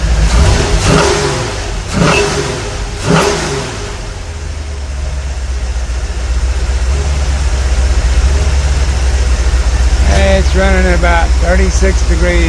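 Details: Just-reassembled 454 V8, about 36° total advance, with four mufflers fitted: sharp pops on each hard rev, then a rough idle. Popping stops once warm until revved; owner unsure whether it is a bad plug or a sticking lifter.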